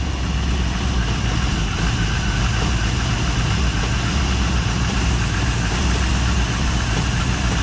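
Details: 1958 Chevy Biscayne revived after years of neglect, with an inch-and-three-quarter exhaust: steady, even V8 idle with a deep rumble and no knocks, misses or surging; it sounds healthy.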